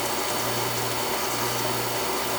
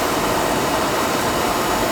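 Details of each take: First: Oil furnace burner tripping out on safety, air in the oil line: motor hums with steady rhythmic pulse but never lights, no ignition roar; suspected bad nozzle. Not igniting. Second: Oil burner that had been tripping on safety, after service: nozzle had been set too far inside, not getting proper air; now a steady, even roar of fan and flame with no pulsing, rumble or flutter, firing cleanly and running normally.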